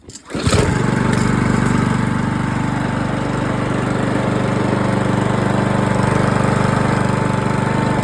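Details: 2007 Parkside lawn mower, found at a dump, reassembled with air filter off, catches on the pull and settles into a steady, even putter with no misses or surging; engine runs properly.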